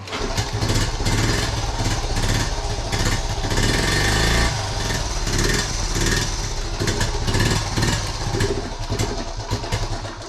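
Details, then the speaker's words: 1976 Honda Z50J1 Monkey, cold, half choke, unstarted for two weeks: uneven lumpy stumbling idle with dips, near stalling, pops and backfires through the carb; owner suspects fuel, later thinks the problem may be ignition (coil). "Just sort of, it sounds like a fuel related issue. It pops and splutters a bit and it backfires through the carb. That's it. I've not started this for a couple of weeks. And it just wants to die as well."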